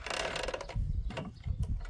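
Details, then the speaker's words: Wrigley truck, drive chain turned by hand: slow, irregular scraping clatter as the chain sits too close to and hits the nearby metal near the gearbox. "which is why it sounds bad. I don't know. Maybe it isn't. No, I don't think that's too far out. That is That is definitely hitting on there."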